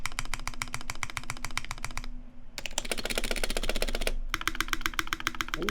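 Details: Custom Taeha Types x TGR keyboard, brass plate, GMK Olivia keycaps, Vintage Black housings with Nixie stems lubed with Krytox 205g0, 72g springs, lubed and clipped GMK screw-in stabilizers: fast, crisp, even keystrokes about four per second, no stabilizer rattle or ping; healthy.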